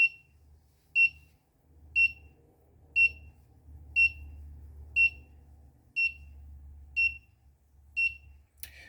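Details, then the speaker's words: Particle Argon stovetop monitor during a live demo: sharp high beep about once a second over a faint hum; the over-temperature buzzer stays on because the average temperature is not falling fast enough. "it appears that the buzzer isn't going to turn off as average temperature hasn't fallen as rapidly as i hoped"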